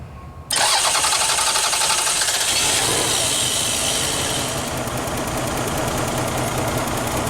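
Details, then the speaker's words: Lexus ES 300 with stalling and no communication with scan tool, started with TPS unplugged: catches abruptly then harsh, uneven, stumbling idle with hissy top end, barely running; cause not pinned down. "it kind of runs not really"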